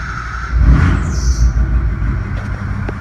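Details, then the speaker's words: 2003 Ford 6.0 Powerstroke just started after Alliant Power reman injector replacement and long cranking to build oil pressure: deep steady rumble, even beat, no stumble or miss; idling cleanly. "And it seems like it's idling pretty good, actually."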